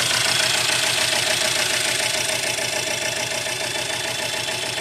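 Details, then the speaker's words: 2017 Mercedes E300 with M274 idling: lopes with a steady stumble about three times a second, one cylinder dead from lost compression. "but we have a lower end mechanical issue problem at hand that uh will basically deem a complete engine [Music] replacement"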